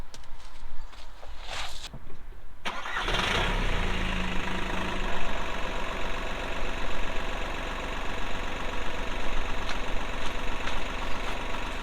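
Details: Audi A2 1.4 TDI diesel just after a fuel filter change, started to purge air: starter cranks briefly, engine catches and settles into a steady even idle without stumbling; normal start and idle.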